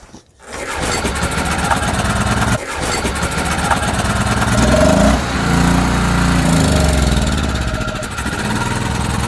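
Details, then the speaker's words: ETQ TG3000 3000 W portable generator after servicing, fresh fuel, started on choke with carb spray: rough catch and pickup, then steady small-engine thrum holding as choke is opened fully. Engine starting and running on choke. "So choke is all the way off. So far so good. She's holding. It's still running."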